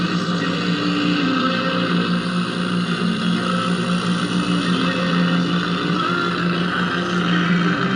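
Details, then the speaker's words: Old Zenith tube radio checked after a move, volume turned all the way down: steady low mains hum at one pitch under faint hiss persists at 106 volts; cause not yet found. "So I'll turn it all the way down. See, that hum's still there."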